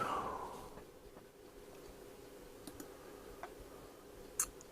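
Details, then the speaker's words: On a device whose knob lacks grip, the switch is turned: a single crisp click as it snaps into the off position, then a quiet room; the switch is working properly. "I can turn it on and off look you can hear it click so it's in the off position at the moment"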